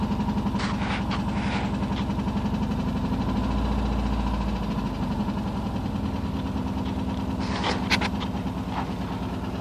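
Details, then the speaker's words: Porsche 944 just started after over ten years sitting; timing belt tensioner pulley fell off in 2005, bending all exhaust valves. Uneven, lumpy idle with irregular chuffs and stumbles, doesn't sound happy, smoking badly: rough misfiring idle. "Doesn't sound happy. Smoking pretty bad."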